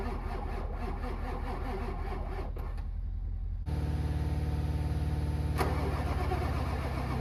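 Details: Ford 7.3 Powerstroke diesel with 740k miles, cranked in winter: slow, rhythmic starter cranking at about three to four turns per second for several seconds before the engine catches; hard start.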